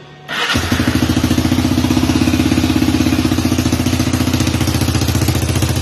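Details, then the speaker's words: Rebuilt Honda 300EX single cylinder starting and settling to an even idle: a sharp puffing tick on every firing pulse from an exhaust leak at the donut gasket. The only donut was bent, so the leak remains. "Exhaust is still has a leak right at the donut. I had one donut, it got bent, so that's as good as it's gonna get."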